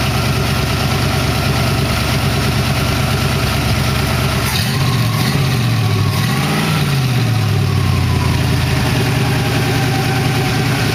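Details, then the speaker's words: 1914 Dodge T-bucket hot rod with Hydramatic transmission, warming up to thermostat opening, about 180 degrees, 40 psi oil pressure, water pump working, slight hissing, no smoke: steady, deep, smooth idle with a brief rev change, no misses or knocks, healthy. "Sounds good. Well, motor doing its thing."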